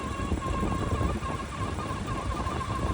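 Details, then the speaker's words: 2023 Lada Vesta, 40,000 km, engine idling: a steady, slightly wavering whine like a dry belt pulley bearing, suspected to be the tensioner or alternator pulley, plus a separate knock on the left side; awaiting workshop diagnosis. "Приехали Владу на диагностику. Шумит ролик"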